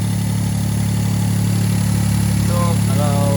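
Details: Toyota EF-DET turbo engine that jerked and misfired under 0.5 boost, idling after ignition coil replacement: even, steady idle about 214 pulses a minute with no stumble or miss; no misfire, engine idling smoothly.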